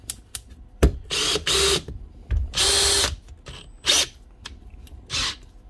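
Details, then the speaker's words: 2017 Makita DHP459 brushless drill revs in short bursts that cut out and restart unevenly; not always going into first gear, slipping out, an intermittent gearbox fault. "she's not always going to on to first gear see that L that's slipping out right looks like an intermittent fault on the gearbox"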